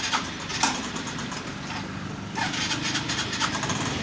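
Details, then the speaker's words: Old-model Suzuki Access 125 scooter at idle: sharp metallic ticks at uneven intervals over the engine note, coming from the magneto side; loose bolts on the magneto side, engine to be removed and opened. "यह आवाज अगर आपको कभी भी ऐसे आवाज लगे तो आप तुरंत फर्मन के पास जाइए नहीं तो क्या है अंदर कुछ अगर नुकसान ज्यादा होगा तो आपको फिर ज्यादा दिक्कत पड़ेगा"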